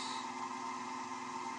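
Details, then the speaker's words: Wood lathe turning an eccentric, off-centre workpiece after being slowed until the rumbling stopped: an even, steady hum with a mild midrange tone and no rumble or thumping. Finding: lathe running smoothly at this speed. "that seems to be all right there once I have removed a lot of the wood out on this Wing I may be able to speed it up if I feel it's necessary but uh that seems to be a pretty good speed for it"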